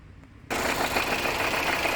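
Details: 2020 Honda CR-V 1.5 turbo, just after start: loud rough whirr with a thin high whine running steadily over the engine; noise traced with stethoscope to a noisy alternator (clutch pulley), turbo also checked.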